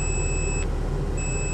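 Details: Supercharged Mini Cooper S, six-speed, 125,000 miles, running at a salvage auction: a steady high electronic warning tone over the engine cuts out briefly and returns, the low coolant warning; the car is out of coolant.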